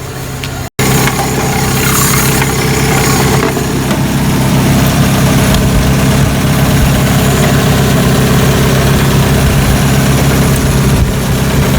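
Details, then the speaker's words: 1985 Toyota pickup, 22R 2.4L four-cylinder carbureted, 2WD, first start after mechanical fuel pump replacement, air filter and cover off; steady even low rumble and smooth idle rhythm, no misses or knocks, no leaks; normal idle. "Alright, here we go. We have to pump it up. Well, that sounds good."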